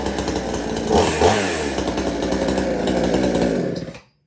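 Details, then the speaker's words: Extreme Power 82100 XP chainsaw fitted with the Salem Master's muffler: revs up crisply, drops back to a steady even idle, then shuts off; good throttle response and idle speed, running well. "And it allows it to run a lot better with good throttle response and a good idle speed onto the saw. But luckily it didn't scream too much. But I was very happy the way it runs."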